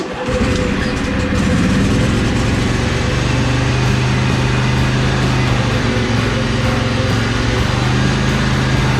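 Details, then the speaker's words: John Deere L120 mower with long crank times, after brake-clean through the carburetor, sitting over winter, coil wiring dry-rotted: single engine holds a strong, steady beat with no sputter or hunting, less black smoke when the drive is engaged; runs healthier. "well it sounds like it's running a little healthier it's not shooting as much black smoke when I kind of engaged the dry as it was before"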